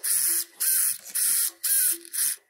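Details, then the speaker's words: Latrax Teton RC car after replacing the stripped steering servo with a new 2065 servo: five quick high-pitched whirring bursts sweeping side to side, no clicking; normal steering servo operation. "if you hear a clicking sound from your front end and you turn the wheel that's probably your servo this is what it should sound like"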